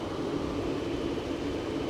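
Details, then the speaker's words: Very soft, steady low hum with no ticks, knocks or misses at idle on a 2023 Jeep Grand Cherokee at a Copart yard; dead silent, a smooth healthy idle. "let's see what the engine is like when it's running I'm loving the car though dead silent listen to that you can't even hear"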